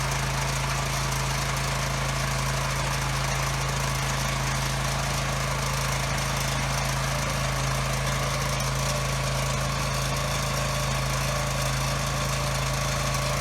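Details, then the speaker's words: Husky generator that sat 5 years with bad fuel, running on a temporary fuel line. It gives a steady drone with a low, lazy pitch and blows a lot of smoke while making power; output is only about 53 Hz, below governed speed. "Yeah, it's running slow. Okay, good. It was blowing a lot of smoke. Hopefully that'll clear. And it was making power. It was only at about 53 hertz, which is too slow."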